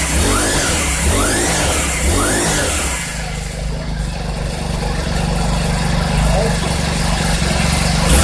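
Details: 2020 Cub Cadet SS 470 four-stroke string trimmer after its pull start was replaced (part 753-08449); quick throttle blips rise and fall cleanly, then a steady, even idle with no stumble.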